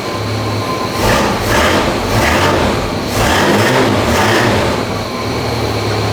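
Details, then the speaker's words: International truck with Hemi V8, new carby and bigger exhaust being mocked up: deep rumble swelling through several throttle blips, slightly throatier but still fairly quiet exhaust note, running clean and even. "Sounds alright. Like, still pretty quiet, but sounds alright."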